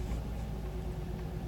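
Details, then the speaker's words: 1999 Pontiac Grand Am GT 3.4-liter V6 at idle: low deep rumble with uneven stumbling, surging beat, fine while driving; rough idle, cause not pinned down, fuel pressure regulator being installed. "kind of jerky not really smooth kind of going in well it's kind of surging and stuff but when I start driving it's fine"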